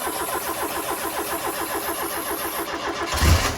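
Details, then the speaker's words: Ford Fiesta RS Turbo, original except the exhaust, stored 17 years: steady cranking at about four beats a second drags on before it catches. Long crank, hard starting; fuel starvation suspected, pump to be rechecked. "Just sounds like it's fuel starvation. Yeah, we're going to have to double check that pump again."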